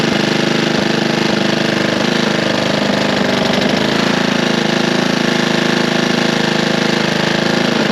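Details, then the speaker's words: Curbside Honda push mower after a loose flywheel was fixed and Seafoam added: rough running with an uneven tapping knock about one and a half per second over the idle; knock reduced but source not pinned down. "is does knock it doesn't sound like it was as bad as it was obviously because we fixed the flywheel flywheel was loose"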